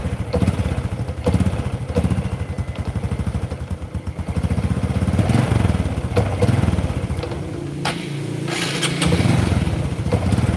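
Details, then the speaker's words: Honda Kharisma motorcycle, just started cold, weak and down on power: single-cylinder putter idles unevenly, loping and faltering when blipped, dies if revved hard, must be throttled gently, needs to warm up before it runs properly. "Oke teman-teman ini baru kita hidupkan udah saya coba blayer motor tetap gak bisa stabil Jadi blebet-blebet blebet kalau di gas agak kenceng mati harus pelan baru bisa naik"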